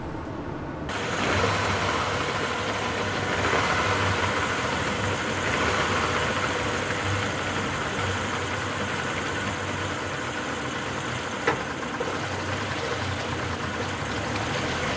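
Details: Yamaha 50 outboard at idle after replacing a worn, hardened water pump impeller that caused overheating at idle: settles into a steady even idle with a low hum, no knocks or rattles; water comes up normally.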